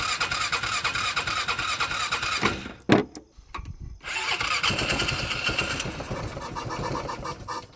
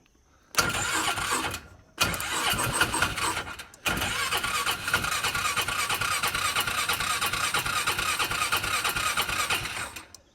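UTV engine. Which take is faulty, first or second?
second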